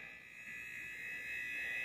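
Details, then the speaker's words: TI-99/4A console scanned with a signal tracer pickup over switching circuitry at the edge connector; steady high-pitched hiss and whine, the high-frequency noise heard on audio output; switching circuitry noise. "and you can start to hear some of the high frequency noise that is characteristic when you're listening to the audio output"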